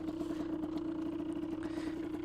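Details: 2003 Aprilia RX 50 two-stroke with an oversized pipe and leaner jetting under test: steady two-stroke burble with an even mid-pitched drone that holds without dipping. It doesn't stall; normal idle.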